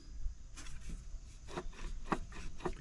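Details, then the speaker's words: 2007 Mazda 6 power steering pump, serpentine belt off and pulley crooked, turned by hand: an uneven gritty scrape with catches each turn. The owner had reported a leak and pump noise three months earlier, and the bearing has seized. "and you might say at some point it seized at what point did I do that it's rough can you hear it it's rough at what point did it do that and why"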